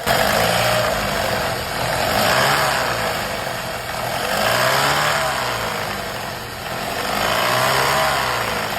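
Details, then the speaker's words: Audi/VW EA888 engine idling with a harsh rushing noise that swells and fades every few seconds; goes away with the VVT solenoid unplugged; oil pressure not building due to leakage, usually from intake and exhaust camshaft wear. "这肯定是机油压力上不来，有泄压的。一般这种情况都是进排气凸轮轴有磨损造成的。"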